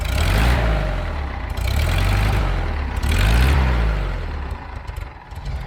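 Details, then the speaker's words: 1975 VW Fusca "Ratoeira" air-cooled engine after clutch replacement, ignition module fitted and timing set; picks up cleanly through a few revs and settles back without stumbling or popping; normal running. "agora eu vou apertar aqui vou dar a partida no motor e finalmente a gente vai poder dar uma volta agora sim com muita dignidade"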